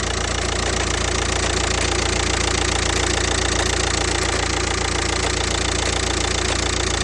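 Steady diesel idle with a sharp, even knock about three or four times a second over the clatter; clear knocking, source not pinned down.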